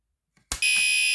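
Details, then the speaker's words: Newly installed fire alarm tested by pulling the pull station after a reset: a click, then a loud continuous high-pitched horn tone holding steady; the alarm sounds normally and the system is working. "1 okay that sounds working so let me go ahead and change it"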